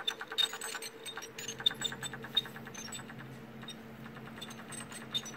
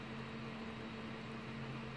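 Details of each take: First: Failing small laptop hard drive, taken from an Acer laptop that freezes on the splash screen, running with a low hum, rapid uneven ticking and faint high squeaks; judged too squeaky and replaced. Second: Replacement 500 GB laptop hard drive taken from another HP, fitted to an Acer laptop that froze on the splash screen, replacing a squeaky drive: steady low even hum, no squeak or clicking, spinning normally.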